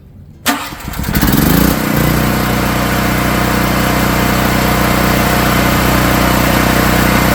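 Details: Generac RS8000E 8000-watt generator with battery electric start, started on the push-operated knob with choke, then switched to run: short crank catches at once, then a steady, even drone with no misses or knocks; starts and runs fine.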